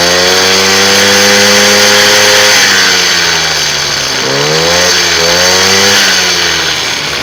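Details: A WMX motorized bicycle two-stroke, brought in for a strange noise from an engine loose underneath, is run after the belt is fitted and the engine secured. It revs up, settles and revs again, smooth and even with no knock or rattle: running healthy.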